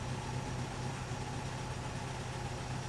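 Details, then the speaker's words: 1964 Triumph TR4 with recently rebuilt engine, after refitting the new distributor rotor: steady, even idle with a soft regular pulse about four per second and no misses; scope shows cylinder 4 back to normal; normal idle. "And you see how it changed number 4? Yeah, so now they're all back to normal."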